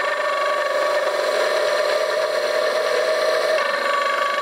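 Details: CMG electric motor run on 50 Hz mains after re-greasing the bearings; steady mid-pitched drone with a fast rough rattle riding on it, the rear bearing still crunchy and noisy, a worn motor bearing.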